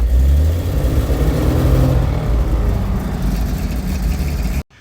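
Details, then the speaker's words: 97-year-old Buick Standard Six after exhaust work, muffler refitted; deep, steady engine rumble swelling as it revs and settling back, no puffing or popping from the exhaust, sounds much better; carburetor still to be adjusted; normal running. "Let's go ahead and start the car now. Sounds much better. Now, I got to adjust the carburetor."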